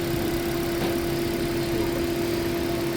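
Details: Toyota Prius repaired for heat warning, misfire and coolant loss, warm idle at about 91° coolant, thermostat open, water pump speed checked: smooth, even steady hum, no misses or knocks; normal.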